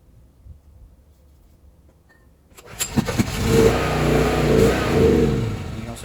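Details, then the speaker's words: Wacker Neuson GP6600 generator, first start after reassembly, with fuel of unknown age: cranks and catches, then revs rise and fall and it won't stay running; a backfire ignited starter fluid. Old fuel suspected and later drained. "it's surging doesn't want to stay running and right there the starter fluid caught on fire because it backfired"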